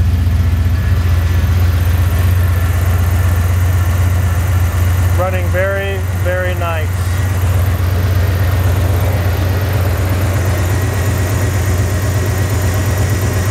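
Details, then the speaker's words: 1983 Jeep Wagoneer, rebuilt AMC 360 V8 with Edelbrock Pro Flow 4 fuel injection, in its 500-mile break-in after the first rebuild's soft lifters wiped the cam: smooth, even low idle with a steady beat, no knocks or ticks. "The engine is currently in its 500 mile break-in period. We'll go for a little cruise here in a little bit, but it's running so nice."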